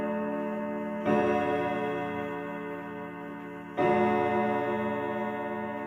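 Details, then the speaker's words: 1940s Manufrance box clock, standard Girod movement with long pendulum, Saint Etienne chimes: two slow ringing strikes with long overtones, some chime rods flat and the strike slightly out of tune; out-of-tune chime rods, left unrepaired. "Uh but I'm warning you that this is not the best sounding example out there. Uh it sounds a little flat and the strike is a little out of tune."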